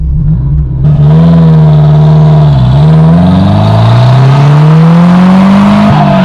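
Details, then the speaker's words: Porsche 924 Turbo under full throttle after a new muffler was welded on: loud, raspy drone climbing in pitch, still louder than the owner wanted, because the catalytic converter is hollowed out. "louder than I really wanted it to be. I was hoping to kind of tone"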